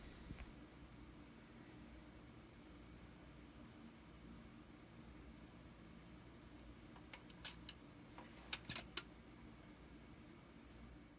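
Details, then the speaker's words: Dual 1225 turntable after replacing failed .068 µF 250 V capacitor: steady low room hum with crisp switch clicks as it starts and stops, no longer any pop or thump from the speakers. "so as you could hear with the new capacitor installed no more popping sound out of the speakers"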